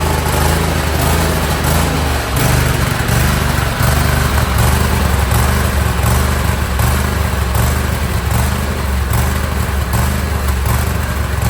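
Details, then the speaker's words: John Deere L130 lawn tractor with Kohler Command 23 hp V-twin at idle: uneven, rising and falling hunting beat, worsening since last season; lean pilot mixture blamed. "It has a Kohler Command 23 horsepower V-twin. It hunts."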